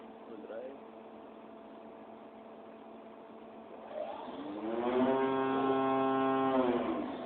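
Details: 2007 machine, Machine No.1, spindle at 8000 rpm: a steady high tone, then a louder wavering whine that swells and fades at top speed; abnormal spindle noise at high speed.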